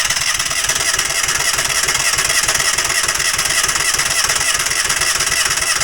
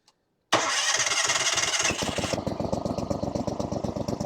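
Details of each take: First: Falcon four-stroke paramotor trike with new NOCO lithium LiFePO4 battery: steady starter whirr with even compression pulses about three a second but never catches; fuel not yet drawn up, crank no start. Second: Falcon 4-stroke paramotor trike with a new NOCO NLP14 500A 4Ah LiFePO4 battery: brisk cranking for about 1.5 seconds, then a steady idle. It cranks faster than with the old battery.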